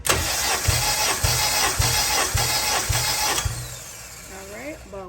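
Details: Compression test on cylinder 3 of a car, five cranks with a compression gauge fitted: about five even strokes, roughly two per second, with no weak beat; reads about 152 psi, uniform across the cylinders.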